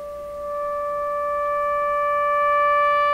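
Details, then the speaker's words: Florida AM/FM/SW tube radio playing a test tone on the phono setting at about 20% volume: tone gains a sharper, buzzier edge of added higher harmonics as volume rises; low output and distortion, cause not yet found. "so you can hear the Distortion coming in and what it sounds like is additional harmonics if you play music you you you can probably spot the sound of it but you'll you'll hear a sharper buzzier element in the tone and those are the higher harmonics beginning to come"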